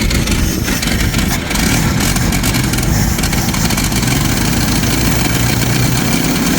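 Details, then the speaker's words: 1990 Jeep YJ 4.2L 5-speed, after a new fuel pump and doing five of the spark plugs: catches and keeps running but lumpy and uneven, misfiring and stumbling at low idle; owner suspects fouled plugs, and the pump is leaking; rough running. "Maybe yep I don't know seems like it's still not wanting to run very good"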